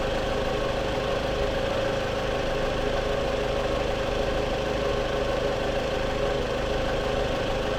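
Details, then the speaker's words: 2014 Scion xB, 102,000 miles, just after replacing coil packs and spark plugs: starts right up into a steady, even idle with unbroken rhythm, no misses, ticks or stumbles; engine still cold. "all right we're going to be starting the car up now she starts right up"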